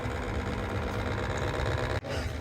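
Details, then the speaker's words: Baxi Potterton Promax 28 Combi ErP boiler in heating mode: steady rough mechanical buzz from the diverter valve motor, found hot as if overworking; cartridge pin moves freely, so the motor alone is worn. Customer says it was louder; new motor silenced it. "there's the noise there when it's in heating mode the custom said it has been much louder than that"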